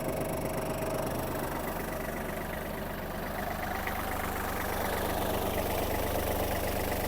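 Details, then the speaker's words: Kubota GL-29 29 hp Japanese mini tractor diesel, started with clutch pressed and no white smoke from the breather: steady, even idle chug with no knocks or misses; normal idle. "зараз Давайте ми його заведем та послухаємо Як працює двигун вижимаємо щеплення та заводимо завівся без питань"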